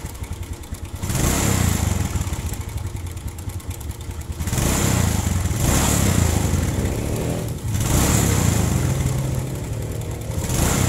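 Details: Suzuki Smash/Shogun 125 engine idling with a rough, busy clatter that swells on each throttle blip; cause was a slack cam chain tensioner adjustment, fixed with a 10 mm bolt 6.5 cm long and a locked nut.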